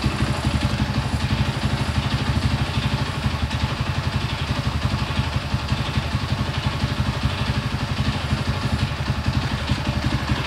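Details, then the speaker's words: Honda CB100 after ignition timing/magneto setting: slow lumpy thumping about four beats a second, wavering slightly; runs stable but idle is off, carburettor needs adjusting. "jadi seperti ini hasilnya tinggi stabil Ia memang karbunya memang harus disetting lagi biar lebih sempurna lagi ya stasionernya"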